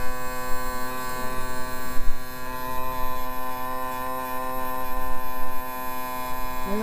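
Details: 2000 Yamaha 60hp outboard tilt/trim after topping up with ATF+4; steady smooth unbroken electric motor hum at constant pitch, not leaking; trim pump running normally.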